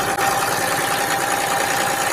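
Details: Small diesel started in about 30°F cold using a Lokithor JA3000 jump pack, throttle raised slightly: steady even patter with faint steady whistle, no misses or knocks; running normally.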